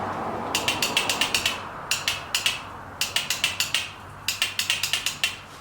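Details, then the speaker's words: 2006 Honda TRX300EX quad, on restart after carb cleaning the starter only clicks: four bursts of sharp metallic ratcheting about nine a second with no engine catching; failing starter. "oh houston we have a problem that's not good illness clicking with the starter"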